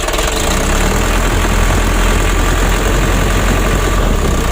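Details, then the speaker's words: Mitsubishi 120 PS Ragasa diesel, cab raised: loud uneven clatter and lumpy misfire at part throttle, shaking worsening as engine heats; traced to worn injector nozzles and Bosch injection pump plunger misadjustment. "kita gas tanggung serasa pincang atau bergetar mesinnya ya Jadi kalau mesin mobil ini sudah panas itu kalau kita bawa itu seperti orang belajar juring begitu ya istilahnya itu semakin panas mesin guncangan mesin semakin parah begitu teman-teman ya"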